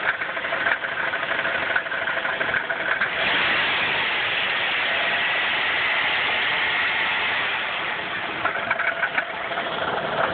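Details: 1994 Chrysler 3.3 engine with about 77,000 miles, uneven deep bottom-end knocking at idle around three per second; at least one bad rod bearing is suspected, not confirmed.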